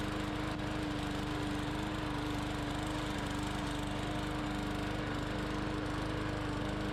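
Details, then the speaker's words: Bolens push mower with Briggs & Stratton 125 cc overhead-valve engine, running after repair of two no-start faults, cutting soaking-wet grass under load; steady even drone and blade hum, holds speed without stumbling. Some tapping was heard, still to be checked. "all right so this grass is wet it's been made and on and off all day today we had a downfall last night the grass is soaking wet and this machine went right through it"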